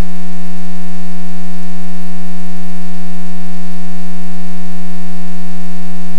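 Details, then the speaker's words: RV-7 aircraft, hot, slightly flooded start before test flight, both tanks about 21 gallons: continuous flat low buzzing high-current alarm; owner suspects alternator overcharging, reading 19 A on a 60 A alternator; cause unconfirmed. "High current alarm. What current? Let's see, what kind of current we got here? This high current alarm."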